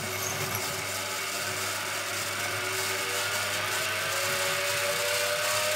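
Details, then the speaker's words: Washing machine motor on TDA1085c speed controller driving a grindstone with big reduction and heavy flywheel: steady hum with a thin squeal rising as speed climbs; belt skipping on the pulley under load. "it's skipping a bit that belt is skipping there motor can deliver too much power"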